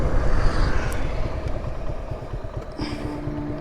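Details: Long-unserviced Suzuki Gixxer SF, push-started, carbon build-up, dirty: uneven lumpy idle with irregular low thumps about three per second, never smoothing out; rough running, carburettor said to need cleaning.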